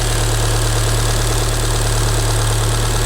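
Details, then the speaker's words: Damaged Fiat Punto Abarth that had not run for over a year: fast, fairly even clacking, about three a second, over a steady idle. Owner suspects plastic pieces fallen inside the engine; not confirmed. "Il y a un bruit bizarre là. Mais elle fait clac clac cl."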